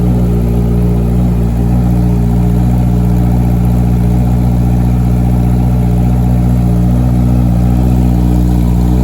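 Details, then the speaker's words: Honda CBR650 road bike, cold start, first start after fitting a new Akrapovic exhaust, recorded inside an echoey garage: loud, deep booming note revving with a steady clean firing rhythm, no knocks or misfires. Normal revving. "Now I am expecting it to be pretty echoey because we are inside a garage. And this is a cold start again."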